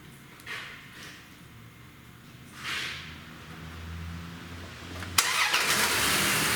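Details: 2001 Dodge Dakota, fuel smells bad: cranking with pedal held to floor, then catches and settles into a steady, even idle with no knocks or misses.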